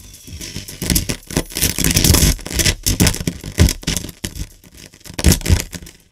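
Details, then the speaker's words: Pioneer SX-980 receiver, volume knob rotated while playing music, left channel dead; irregular scratchy crackles and scraping bursts; controls likely need cleaning, unclear whether the volume control is a stepped attenuator or detented pot. "yeah so there's obviously another problem and what it looks like to me first kind of just the first look is we need to clean some controls but we have a problem with this volume knob"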